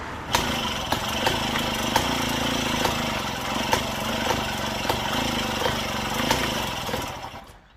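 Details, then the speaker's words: Daelim Trac moped pedal-cranked in the cold, spark and fuel present: uneven cranking pulses about three a second, never catches, fades; owner suspects low compression, timing or reed valve; reused bowl gasket leaks. "yeah i don't think it has much compression"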